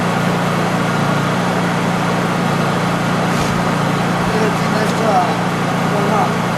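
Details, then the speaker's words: Honda EU3000is inverter generator in normal (non-economy) mode during carburetor adjustment screw setting: even, steady low drone with no misses, surging or knocking; running smoothly at correct adjustment. "bring it back into adjustment so that you can hear what it's supposed to sound like"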